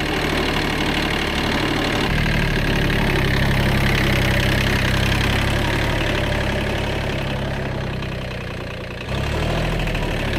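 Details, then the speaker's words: Worn Kubota B7100 tractor after a gearbox rebuild with new gears and bearings replacing chewed-up ones: steady low diesel rumble with an even beat, no whine, grind or clunk. The earlier gearbox noise is gone. "so the Moment of Truth we'll uh start up and see if that noise is gone that's way better no more"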